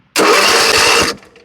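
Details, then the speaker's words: Ariens zero-turn mower with no-start no-click, starter jumped from a separate jumper battery, ground tapped on engine: about a second of strong, even cranking with steady compression pulses; starter good, fault later traced to a non-clicking starter solenoid. "so we know we got a good starter"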